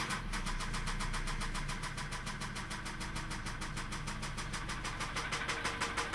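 Steady tapping knock, roughly three a second, riding over a quiet idle; a clear engine knock, source not yet pinned down.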